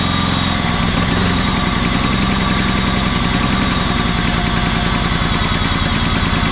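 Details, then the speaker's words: Auction John Deere LX186 riding mower, 17 hp Kawasaki engine, first start on jumper pack: uneven, slightly lumpy putter with a little smoke, sounding rich; owner suspects overfilling from repeated choking, float bowl to be checked. "Well, I'm shocked that that ran like it did. It actually didn't run too bad. Uh, it smoked a little bit, but I think it was just overfilling cuz I had to choke it a few times to get it to to keep running."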